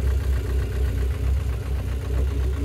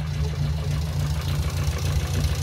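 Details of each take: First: Engine at steady low idle after an oil flush for sticking hydraulic lifters, before the final oil: only a faint light tick remains, much less clatter than before, now fairly smooth; lifter tick reduced, possibly only partly solved. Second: Petrol engine, known to tick slightly even when healthy, clacking at start-up; owner suspects hydraulic lifters, idling ten minutes after chemical cleaner was added to the oil, fast light clacking over low hum, seemingly worse than before.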